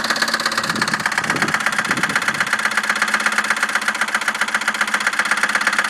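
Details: 2001 Chevy Malibu 3.1L V6, 122,000 miles, after intake gasket replacement; stalled on a test drive, then idles with a hard, fast metallic knock. A disintegrated piston and a broken valve head were found; owner guesses a dropped valve seat.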